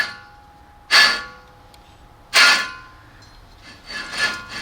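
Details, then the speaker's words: 2001 Subaru Outback with 221,000 miles, passenger-side front wheel: with the CV axle removed, spinning the hub by hand gives a harsh rasping grind in bursts. It does not turn smoothly, so the failed wheel bearing is to be replaced. "there's a grind in it and that's not being interfered with the cv axle"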